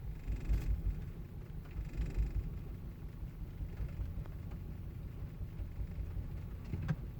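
Low uneven rumble with irregular lumpy pulses and no steady beat; the engine is idling roughly, cause not clear.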